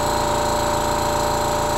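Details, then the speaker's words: Mantus scuba diving compressor running with filtration chamber below 800 psi, pressure valve closed so no air flows to the cylinder: steady, even hum with constant mid-pitched tone, no knocks; normal running. "so the compressor is on the pressure here is below 800 psi so no air is coming out"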